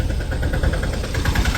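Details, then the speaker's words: Autorickshaw diesel cold-started in the morning after a night of heavy rain, using the decompressor. Rough, uneven idle with pulses about seven times a second that come and go, settling to a continuous even beat after a while; possibly slow oil supply at start. "ഇപ്പോ ഇങ്ങനെ വിട്ടു വിട്ടാണ് ആ sound കേൾക്കുന്നത് ദാ ഇപ്പോ ആ sound ഇങ്ങനെ വിട്ട് വിട്ട് വിവിട്ട് ഇങ്ങനെ കാണാം"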